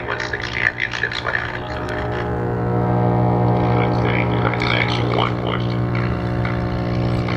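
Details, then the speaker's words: 1946 Arvin Metal Midget tube radio via test speaker after tubes warm up: loud steady low 60-cycle mains hum under station audio from bad electrolytic filter capacitor; stations received, so oscillator, antenna coil and IF transformers good. "so we know the electrolytic filter capacitor is bad but since we hear stations and that tells us that all the major organs are good"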